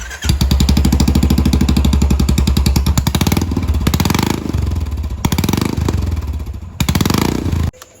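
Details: Royal Enfield Classic 350 single-cylinder with muffler and heat shield removed, startup recorded about one foot away; loud, raw uneven thump at idle with sharp throttle blips; open exhaust without silencer.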